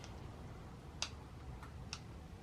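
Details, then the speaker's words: 2018 Sur Ron Light Bee MX with EMXRON controller, overheated at an enduro race, throttle applied: sharp sparse clicks, about three in two seconds, with no motor spin; the clicking comes from the controller, not driving the motor. "oh yeah it's the controller yeah it's controller in here is making the controllers making it clicking sounds"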